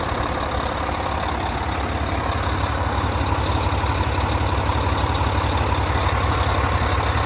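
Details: 2014 Volvo VNL day cab with a D13 diesel and 13-speed manual, 600-something miles, oil filler cap off. Steady, even idle with a regular low throb of about three beats a second and no knocks or misses; normal healthy engine.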